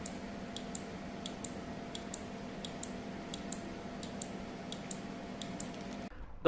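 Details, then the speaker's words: 12V relay LED flip-flop using only a relay, capacitor and LEDs just powered on: crisp paired ticks about every two-thirds of a second over a quiet hum, relay switching back and forth normally. "Let's power it on. You can hear the tick tick sound. Please listen carefully."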